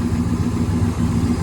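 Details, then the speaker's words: 1997 GMC 3500, 7.4L Vortec 454, after replacing stuck-open cylinder 6 fuel injector that caused rich running and misfire; steady low V8 idle with even beat, much better than before, some unevenness from blown-out muffler. "it's already idling a whole lot better than what it was before"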